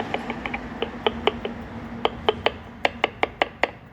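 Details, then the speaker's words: 2015 Mercedes E220d W212 on a test drive over rough road with a noise-detection sensor fitted: sharp, irregular clunks, several per second, come in bursts. It is a suspension knock, with the tension strut most suspected but not confirmed, and other parts already replaced. "가장 쉬운전할 때 도로변이 안 준대 가면 이게 진동 때문에 소리 들리시죠"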